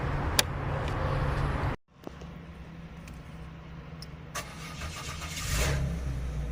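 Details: Citroen C5 3.0 V6 (ES9A XFU) 2006 after crankshaft position sensor replacement for P0335/1920EN no-start fault: a short crank, then the engine catches and settles into a steady, even idle with no stumble or repeated cranking; normal start.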